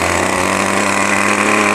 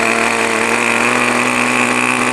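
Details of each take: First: New O.S. 40 FP glow engine on a model airplane during ground break-in, starter on, held back by an assistant at full throttle on its first tank: steady buzz, slightly blubbery and soft-edged rather than crisp. Running rich; needle valve to be leaned progressively. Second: New O.S. 40 FP glow engine on a model airplane during ground break-in, starter removed, needle valve leaned slightly: RPM picks up into a steady, high, unbroken buzzing scream. Normal running at high speed.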